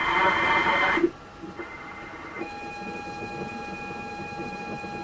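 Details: ZX Spectrum 128 +2 (borrowed) loading Football Director via externally soldered tape connector, internal tape drive not working; steady high leader-tone whistle with sharp pitch shifts, program never loads; cause not found.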